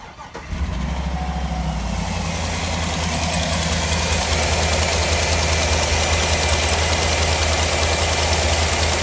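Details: 2009 Cadillac Escalade 6.2 V8 running with valve cover off to test: quick even ticking about three per second over the idle; one rocker seen getting no oil, owner suspects the oil pickup. Not confirmed.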